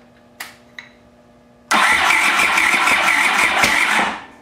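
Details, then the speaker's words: Honda CX500 motorcycle under restoration, first start after stator and water pump mechanical seal replacement, with a backup battery helping: a few clicks, then a rough, fast chuffing catch for about two seconds before it dies; brief firing on first start. "oh that was a fire there okay let's give it another off"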